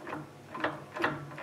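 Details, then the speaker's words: Land Rover Defender 110 rear axle, new driveshafts and flanges, axle turned by hand: dull metallic clunks about twice a second; crown wheel barely moves, so clunk is from worn thrust washers or sun/planet gears in the differential carrier. "it's either the thrust washers or the gears in the in the carrier itself there's a sun and planet wheels inside there and it goes a bit like this"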